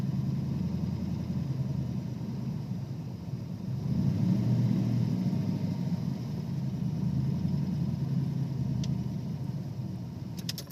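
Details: 1992 Ford Ranger with 302 EFI V8: low, uneven idle that swells and sags instead of holding steady; it also hesitates and chugs under throttle, cause not identified.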